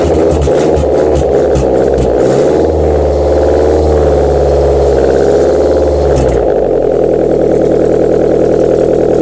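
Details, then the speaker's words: Subaru EJ253 first start after replacing bent valves and fitting new head gaskets, no exhaust fitted, alternator disconnected, jump-started, low coolant and oil; cranks, catches, loud raw steady idle, short rev; normal start and idle. "first I want to see if she starts there's no exhaust on it it's gonna be loud"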